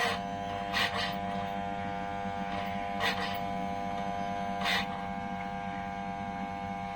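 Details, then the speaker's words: Toyosaki voltage stabilizer powered on gives a steady, buzzy electrical hum with brief raspy bursts; it is not working properly, and its output measured 37 V AC, abnormal. "nah terus ada suara dengung [Tepuk tangan] Nah mungkin yang dimaksud teman saya itu seperti itu ada suara aneh"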